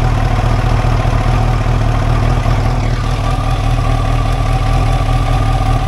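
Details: 1989 Kawasaki ZX-10, laid up about 12 years, replacement tank, test run on fuel left in the carbs: steady low burble at idle, even pulse, no stumbles or knocks; idles cleanly.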